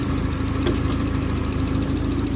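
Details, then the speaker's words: Nissan 240SX KA24E-T after ID1050X injector install, idle raised by the throttle-plate screw with the idle air control valve unplugged: steady, even idle with a smooth low thrum and no misses, stumbles or knocks; normal idle. "Now, like I said, we don't have our idle air control valve hooked up. Uh we're just adjusting our idle off of the throttle plate."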